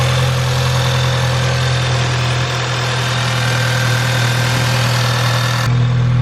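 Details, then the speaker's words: VW Jetta GLI 2.0T TSI test start after upper timing chain cover gasket replacement for an oil leak and coolant refill: steady even idle with smooth low hum, no ticking, knocking or misses; normal idle. "All that's left now is just to start it up and test it."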